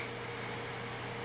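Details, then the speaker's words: GTX 970 graphics card fan freed after being stuck with dust (card hit 92°C at idle), owner thinks it needs oiling: soft even whir with a faint steady whine, no ticking or scraping; spinning normally. "i can feel the heat coming off now that they started spinning so definitely need some maintenance oiling maybe"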